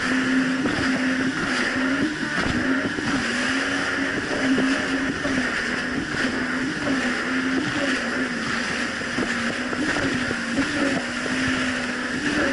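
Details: 2007 Yamaha VX Cruiser jet ski on choppy Lake Michigan after a $10 fix of a narrow gap: steady, even drone holding pitch over water noise, no surging or dropouts; running cleanly with quick throttle response.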